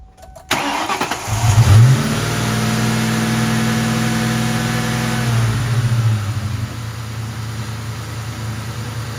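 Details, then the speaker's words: 1998 Mustang GT 4.6 2V V8 after replacing the faulty idle air control valve and a cracked PCV hose: fires up, steady fast idle, throttle blip, smooth return to even idle; the loud hum after deceleration is gone, idle and throttle response much improved. "Idling a thousand times better. Just came back from a quick little drive and everything seems to be resolved. The the throttle response is much better, the idle the return to idle is better, it's not making that sound anymore."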